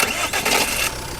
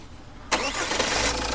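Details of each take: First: Jeep Compass starting: a harsh metallic rasp through the first second as the engine catches at the peak of cranking, then fading to a steady idle; the noise is attributed mainly to the flywheel. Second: Jeep Compass, restarted repeatedly after flywheel work to cure a clunk on starting: it cranks and catches cleanly into a smooth idle with no clunk from the flywheel, and the clutch is smooth. Normal start.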